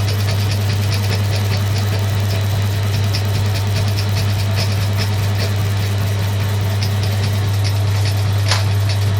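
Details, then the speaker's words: Suzuki GS550 being converted to fuel injection with second-hand Triumph parts, system bench-tested: quick, even light clicking over a loud steady electrical hum; the injectors are firing and the coils are sparking normally. "won't run this for very long but yeah I can still hear the injectors firing we've definitely got sparks"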